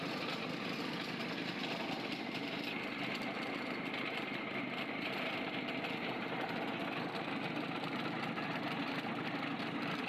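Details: Freshly overhauled 4TNE98 diesel on a temporary test stand, leak-test run: even steady idle with open-exhaust rasp, no knocks or misses; engine sounds healthy.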